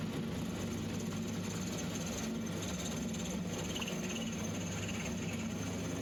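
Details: Small, non-rigid lathe turning tough EN19 steel for an auger shaft repair: steady hum with a rough buzzing rattle from the cut; tool chatter.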